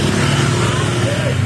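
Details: Honda Vario CBS scooter, CVT freshly reassembled with a new Champion RG4C spark plug: a rough, grainy rumble rides over the steady idle from the transmission side, blamed on a worn CVT drive belt; said to fade when splashed with water.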